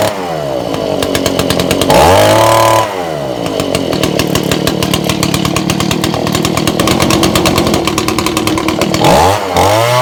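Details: Old Echo two-stroke blower after repair and reassembly, started with a little choke: crisp buzz revving up and dropping back cleanly with steady idle between; runs healthy.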